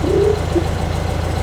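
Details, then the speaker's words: 1972 VW Beetle, one owner since 1972, being driven home: rough low engine drone with warbling high chirps breaking through on and off, a seagull-like intermittent squeal in the engine of unknown origin. "Listen, there's 100% of seagull in the engine, listen."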